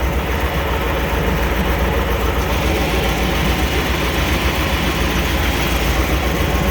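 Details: 1998 Chevy C1500 just after the clogged fuel filter was replaced to cure a crank-no-start. Smooth, steady low rumble at idle with an even beat and no stumble or surging. Normal idle after repair.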